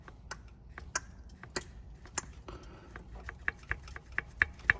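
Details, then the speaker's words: Alfa Romeo Twin Spark engine, timing belt area: sharp uneven metallic knocks, about three a second, as an SKF balance belt tensioner bounces back and hits its stop once the engine is warm, despite readjusting and lowering it. "I've tried readjusting this a couple of times. I've tried even lowering it down, but yet every time I run it up and it gets warm, it seems to be bouncing back up and hitting it."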